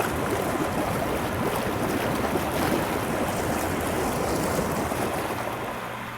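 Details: After the spa air switch repair, as the pool and spa are opened for the season: steady rushing, bubbling water with an even air hum beneath, no stutter or cut-outs; the spa blower runs normally.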